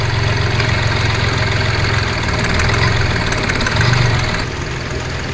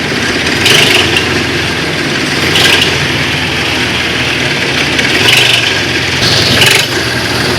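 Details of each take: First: Car after replacing the accessory belt, tensioner and two idlers for a clicking noise: engine idles with a steady, even low rumble and no clicking or ticking from the belt area; problem completely solved. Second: Engine idling with a recurring sharp chirping click every couple of seconds, heard when the car starts and moves. It comes from the accessory belt drive: a faulty belt, tensioner or one of two idlers on the drive for the compressor, alternator and water pump.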